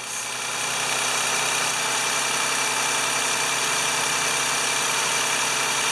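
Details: 2011 Toyota Sienna after alternator replacement, battery disconnected so relearning idle, voltage 12.61 rising to 13.96 V: smooth, even idle hum with light hiss, no knocks or squeal; charging, normal idle.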